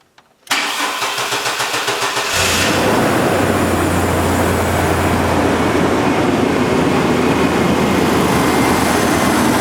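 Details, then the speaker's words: 2001 Chevy S10 4.3 automatic 2WD after gas tank, fuel filter and driveshaft install: starter cranks briefly, engine catches at once and settles into smooth, even idle with no misses or knocks; running again. "Sounds good. She's a runner again, guys."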